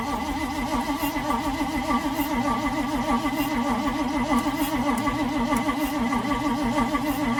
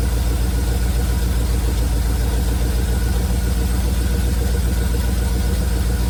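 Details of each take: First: 1971 Chevrolet C40 truck after carburettor cleaning, fuel smelled but no spark: even starter cranking at roughly three and a half beats a second for eight seconds, never catches; distributor cap installed backwards. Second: 1971 Chevrolet C40 truck V8 after carb cleaning: deep, even low idle burble, no misses; running really well, blow-by minimal.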